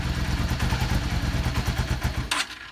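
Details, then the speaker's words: Yamaha Star 650 (V-Star) cruiser, Mikuni carbs, choke off: lumpy V-twin idle chugs, stumbles when rolled off idle, then a click and it dies; known issue from a plugged jet, blamed on ethanol fuel. "and it dies this is a known issue it has to do with a particular jet being plugged up"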